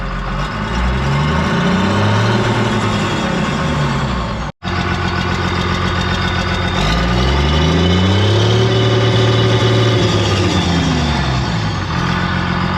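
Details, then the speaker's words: Diesel dozer being picked up, checked and run last year without the problem: idle with a slightly uneven flutter and wavering speed that was not there before; cause not determined. "all right so I don't know if you guys can hear that but that thing's got a little flutter in it when I looked at it last year and run it it did not have that"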